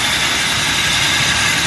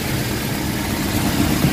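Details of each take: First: Toyota Revo gasoline, distributor-type engine warmed up, idling: steady harsh gritty hiss high above the motor near the power steering belt; worn, loose tensioner pulley bearing, replaced. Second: Toyota Revo after replacing the worn tensioner/idler bearing that caused a grinding noise near the power steering: smooth, even idle with steady low hum, no grinding or whirring from the belt side; normal idle.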